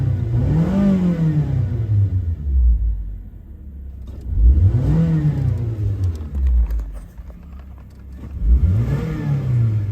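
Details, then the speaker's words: Suzuki Grand Vitara, which had flickering 4WD lamps and a relay chattering near the glovebox while running; after fitting good iridium spark plugs, the petrol engine is blipped four times with clean revs and no relay clicking. "так машина запустилася поки в нас нічого немає газуємо тут також нічого в нас нічуть не тріщить"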